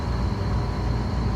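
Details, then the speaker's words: Walk-in three-phase scroll compressor at start-up after refrigerant charging, with two legs swapped to correct reversed rotation: a steady low hum with a faint high tone and no knock or rattle, running smoothly in the correct direction as suction pressure drops. "see that now we got the right rotation going let me see what this little bugger does get her get her going"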